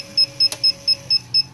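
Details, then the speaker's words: Creality CR-10S printer with new v2.1 motherboard after flashing seller's firmware: stepper motors cycle back and forth and sharp, high beeps about four a second never stop; incompatible firmware, later fixed with TH3D Unified firmware. "all the stepper motors are cycling back and forth and it just does this beeping right here so let me go ahead shut that off"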